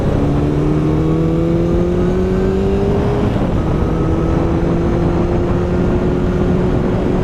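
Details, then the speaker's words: 1972 Honda CB750 inline-four on a test ride after contacts were cleaned: smooth note climbing cleanly with road speed, one upshift midway, no stutter or cutting out; running normally. "So far, this thing's doing a whole lot better. Which is promising."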